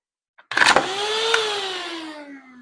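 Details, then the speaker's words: Hand vacuum motor after removing a pebble that was jamming it: small motor spins up with a rising whine, then a clean steady hum slowly winding down; runs freely now, normal motor run. "It works! Yay!"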